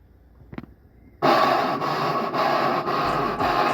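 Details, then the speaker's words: Brastemp BWK12/BWK13 washing machine: harsh rasping scrape with a dip about every half second as the drum works, like scraping or knocking. Possibly caused by wear in the coupling system, where the coupling pulley is not working correctly. "sua maquina lvar tá fazendo um barulho estranho durante essa interação como se tivesse raspando ou batendo é possível que o problema seja causado por um desgaste no sistema de acompamento esse som geralmente acontece quando a polia de acomplamento não está funcionando corretamente"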